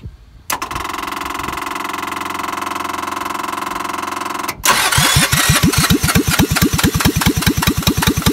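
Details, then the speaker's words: Onan/Lister Petter MEP-802A military diesel generator cranks steadily at a couple of beats per second but never starts; injection pump rack suspected misaligned after engine rebuild, good squirts from pump but weak from injector number two. "here's my injectors when i crank it over you'll see i got good squirts from the pump not so much out of that number two"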